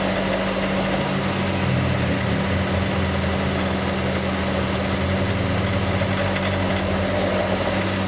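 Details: Honda City EXL 2020, bought new, about 19,000 km, noise began early and grew worse, dealer couldn't locate it and denies warranty: steady idle with constant low drone and rough buzzy layer underneath; source unclear, unconfirmed.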